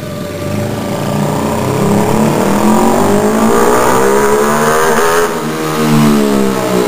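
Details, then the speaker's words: Small motorcycle, formerly points ignition, fitted with a cheap eBay inner rotor kit, revved in neutral: buzzy drone flattens near the top as if rev-limited; owner suspects the kit caps revs below 9,000 versus 10–11,000 before, timing hard to set. "I don't know if it came through in the video but it sounds like it's got a rev limiter which really sucks my points motor rev higher than that rev Li is kind of low"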